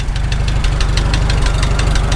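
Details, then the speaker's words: Farmall H tractor, first start after engine rebuild; sharp evenly spaced light ticks, about five a second, over a steady low idle thump, seeming to come from the top end; suspected valve train tick, later went away by itself, cause unconfirmed. "then we started hearing a little bit of a tick noise so I shut it down took a look didn't find anything wrong"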